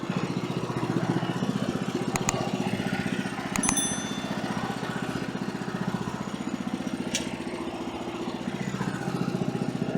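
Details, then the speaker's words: Woodland Mills HM130 Max portable sawmill cutting a small silver maple log after tensioner bearing replacement, following surging after hitting metal in oak: engine holds a steady pulsing drone through the cut, no surging or bogging; fixed. "All right, so no surging at all on that one. So that's good."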